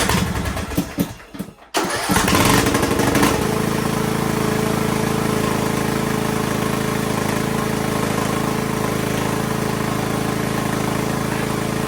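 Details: Poulan Pro PP175G42 riding mower that sat outside for years, started after cleaning corroded contacts: it cranks briefly, catches and settles into a steady, even single-cylinder idle with no knocks or misses. A healthy start.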